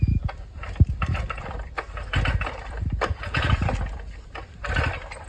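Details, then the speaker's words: Stihl 420 two-stroke cement saw that runs about a second then dies; the owner suspects the top end needs rebuilding, but it sounds like it should run and the primer bulb is cracked, possibly admitting air. Repeated pull-cord cranking with uneven chuffs, never catching. "He said it'll run for a second or something like that, and it won't run no more."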